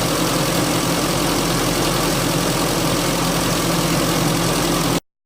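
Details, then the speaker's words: Engine that ran rough after a mass air flow sensor cleaning: smooth, even idle with a steady low hum and no stumbles, hunting or misses; appears fixed, normal idle. "at this stage it does seem to be fixed"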